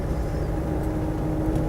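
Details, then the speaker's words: Land Rover Defender 90 CSW 300Tdi driving under acceleration: faint steady whine above road and engine rumble that goes away when backing off, so not tyre noise. Suspected minor transmission/differential whine; no backlash noted. "sounds like it's Tire raw but it's not because if I back off it goes away so it's not not tire noise"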